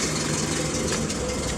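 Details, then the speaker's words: 1983 Toyota Hilux 18R engine at cold idle after replacing the worn, badly rattling timing chain; slightly rough cold idle but no chain rattle or slap, properly quiet; healthy after repair. "little bit of a rough Auto cuz it's cold but it is quiet like proper quiet so I'm satisfied with"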